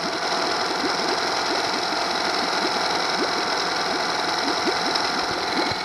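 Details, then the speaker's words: Honda 8hp four-stroke outboard in water, after fixing air and oil leaks around the old fuel pump area: steady, even idle with a fine rapid tick and no misses or knocks; it now idles very well. "but right now after I fixed this motor is idling very well you know a gig in here"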